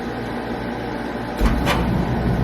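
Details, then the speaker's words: Home boiler, TT thermostat terminals jumpered: low circulator pump hum, then after a short delay a soft whoomp and deeper steady roar as burner lights cleanly and keeps firing; normal ignition. "Now boiler's running. That pump just turned on, and there will be a quick delay, and then this will fire down here. And there we go."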